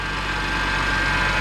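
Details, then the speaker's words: BMW X5 petrol engine idling hot: steady, thin whine coming from the driver's side of the engine, from a worn driver's-side idler pulley; idler pulley and serpentine belt being replaced. "You can hear that whining noise. It's pretty bad. You should not hear that. It's definitely coming from this side of the motor."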